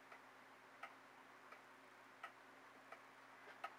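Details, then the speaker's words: Old regulator pendulum clock, restarted after calendar hand repair, ticks softly and evenly roughly every seven-tenths of a second in a quiet room; running steadily. "all right guys 7 o'clock it's time to fire it up there we go got our tickin again"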